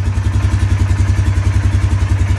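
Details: Polaris Sportsman 570 EFI ATV after fixing the no-start by closing the circuit: steady, even low thumping idle with no knocks or misses. Running normally.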